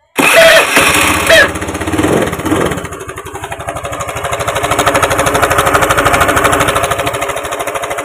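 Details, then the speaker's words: Honda Beat FI scooter: starts and idles rough and clattery like a diesel; the CVT was checked and found fine, so the suspected cause is the cam timing chain or its tensioner, which is opened next. "Masalahnya kemungkinan terletak pada rantai timing atau tensioner rantai timing ."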